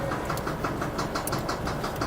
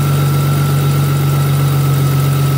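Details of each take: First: Audi B5 S4, manual-swapped: a heavy, deep, hollow knock about six times a second over the idle, a bad rod knock. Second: 2000 Audi S4 B5, idling while the belt is checked for walking; battery light has gone off. Steady low idle with an even drone and no squeal, chirp or belt slap. The belt is not walking so far.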